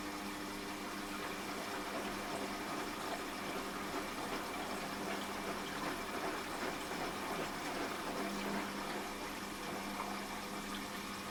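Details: Washing machine after fitting a replacement drain pump, water filled to the bottom of the drum and pump triggered on spin: steady hum with rushing water, no rattle or grinding; the new pump drains normally.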